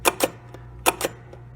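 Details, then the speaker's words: 1973 Williams Gulfstream pinball, restored ball count unit, coil driving the cog unit: crisp paired clicks about 0.8 seconds apart, each step snapping cleanly with little resistance; normal stepping action. "one step down at a time nice and smooth it is not restricted there is a very little resistance and you have a smooth unit it's clean it's working it's going to make your your game function the way that it's supposed to"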